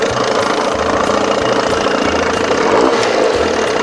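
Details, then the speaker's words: 1987 Johnson 6 hp two-stroke outboard, smaller jet fitted, mixture screw out 1.5 turns: quick, even burble with a steady light tick and no hunting or misfire. Idles cleanly, audibly better with the smaller jet. "Well, you can already hear the difference. That smaller jet. Yeah, she sounds good."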